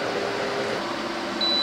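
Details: Continuity test with a multimeter on a Sony SRF-M35 FM/AM Walkman, checking each pin to the pot's carbon track: steady high-pitched continuous beep starts near the end and holds, confirming a good connection with no break.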